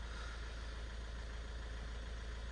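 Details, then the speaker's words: 2010 Ford Kuga that previously would not start, now running after reassembly, about 5 minutes in: quiet, even idle with a smooth low hum, no stumbling or knocking; engine sounds healthy. "right okay guys there we go she is running finally finally something is going our way so I've got it running for about 5 minutes now"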